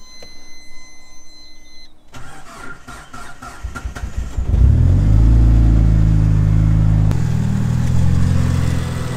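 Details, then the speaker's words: Rebuilt 2.37 stroker 4G63T Mitsubishi Evo 5 after fuel table tuning: brief starter spin, catches at once and settles into a steady, even idle with no stumbles or misses; normal start. "but this car starts on a button now with no fall I'll show you how nicely this thing starts up now smooth it's running"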